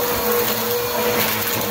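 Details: Bissell vacuum cleaner after drive belt replacement, running on the third setting: steady, even motor whir with constant pitch and no slapping or grinding. It runs normally.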